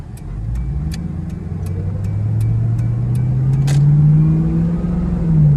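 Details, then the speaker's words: Stock Ford Mustang GT V8 exhaust while driving away through town; steady low burble climbing smoothly in pitch as it pulls away, healthy and even. "This is what a stock GT sounds like."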